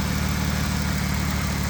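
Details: 2005 Ford Taurus 3.0L after throttle body inspection and new throttle position sensor and mass air flow sensor, fixing earlier rough idle: low, steady, even rumble with no stumbles or misses, smooth idle; engine running normally.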